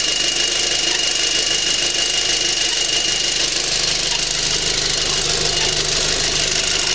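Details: 2006 VW GTI engine running steadily: a thin, high chirp like a turkey call recurs every couple of seconds from the passenger side of the engine. Source not yet found.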